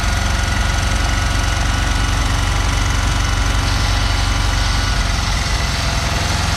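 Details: 1974 Dodge W200 318 V8 after water and ATF fed into carburetor: loud, uneven rumble with loose knocking about four per second; rough running with knocking, afterward wouldn't restart, possibly fouled or closed plugs suspected.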